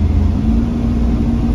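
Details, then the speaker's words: 1997 Chevrolet Camaro RS, 3.8L V6, after the cracked coil pack was replaced: pulls strongly and evenly during a 0-60 run up a hill, with no stumble or misfire and no check engine light. Normal acceleration under load. "no more misfire yeah buddy all right 0 to 60 up a hill here we go no more misfires"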